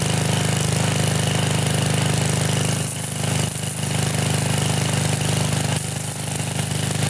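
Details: Trashed Sears Craftsman pressure washer, 6.5 hp Briggs OHV single-cylinder, 2500 psi 2.7 gpm, revived after no-run, started on full choke: steady even run at constant speed with strong low drone; no misfires or hunting.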